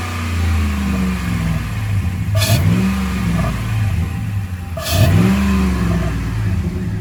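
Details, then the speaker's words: Dodge Ram 5.7 Hemi just after a cold air intake install: two quick throttle blips, deep V8 note climbing and falling smoothly with strong intake roar heard at the front; normal revving. "Okay, rev it up. Oh yeah, you can hear it right in the front."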